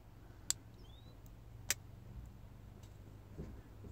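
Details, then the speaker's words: Marine Prestolite distributor, key on so the coil is powered, base turned by hand in a quiet room: two crisp snaps about a second apart as the notches align. The electronic pickup is working normally. "listen for the snap all right pretty easy right that's how you tell if your electronic pickup is working"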